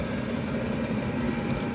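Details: Chinese 12/24 V diesel parking heater on car battery, glow plug switched off after warm-up, full speed, drawing about 1.6–1.8 A: steady even hum with low constant rumble, no surging or misfire; running cleanly.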